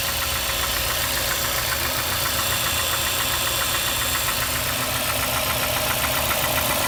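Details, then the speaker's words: Mazda 6 MPS engine knocking at idle up to 1500 rpm, quiet above: steady light tapping about four per second under a loud hiss; cause unknown. "так проблема в следующем здравствуйте значит двигатель постукивает на холостых оборотах до полутора тысяч"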